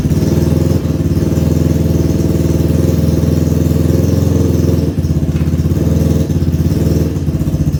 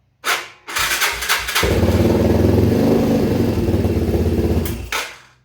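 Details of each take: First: 2011 Yamaha Raptor 250 ATV, sitting about three weeks, new battery, running straight off the carb: single-cylinder runs steadily with a fast rattling starter whir still going; starter solenoid stuck, kept cranking while running, needs replacing. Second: 2011 Yamaha Raptor 250 single, bought not running, no airbox: a couple of cranking bursts then catches and runs a steady even thump on choke; sounds basically healthy, earlier noise possibly the starter.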